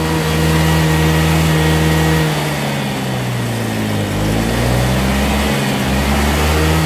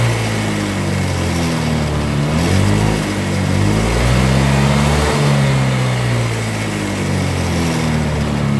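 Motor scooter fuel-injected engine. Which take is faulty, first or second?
second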